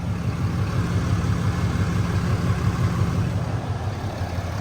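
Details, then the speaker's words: 2020 Ram 2500 Mega Cab tow rig, 190,000 miles, idling just after an oil change with fresh 10W-30 and Mopar filter: steady idle with a light regular tick about three times a second; tick still present, owner expects it to fade. "Actually sounds really good. Tick is definitely still there, but it'll go away after a couple thousand It's fine."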